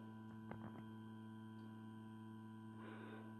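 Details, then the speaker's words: Homemade regulated 160W transformer power supply, conventional transformer plus XL4016 buck module, on 220 V mains input: steady low transformer hum with a few faint clicks, slight buzz; normal. "220 ვოლტის შემომავალი ძაბვა. ტრანსფორმატორი ცოტას გუგუნებს."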